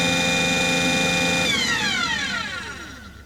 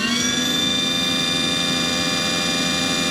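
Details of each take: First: Aquahot 400D RV diesel boiler: the burner motor whine falls away, a few clicks follow, then it whirs back up with no firing rumble or smoke as the CAD cell cuts it off. There is no raw fuel smell. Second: Aquahot 400D RV boiler after repairing the burner motor relay: a steady high whir at constant pitch as the blower motor now engages normally. Originally the motor would not come on at all; the burner lighting is still unconfirmed.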